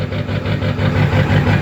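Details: 2002 Ford F-350 Super Duty 7.3 diesel, cold morning start after glow cycles, hard start from a bad glow plug relay: deep idle with an uneven, lumpy pulse about four beats a second that clears once warm; rough cold idle.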